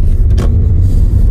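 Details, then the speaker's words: Toyota Auris after replacement with a second-hand gearbox and gear oil change, test drive: steady low road rumble, no scraping or grinding from the gearbox, slight brake creak; normal gearbox operation. "[Music] yeah it's no scraping anymore [Music] I hope you are able to hear it"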